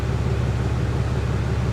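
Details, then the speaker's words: 2022 RAM HD Cummins diesel, bone stock, about 53,000 miles, running a remanufactured replacement engine after a catastrophic failure: steady deep idle rumble with exhaust heard, even and smooth with no knocks or misses. Normal, healthy diesel idle. "Let's see what the exhaust sounds like this truck is bone stock it's"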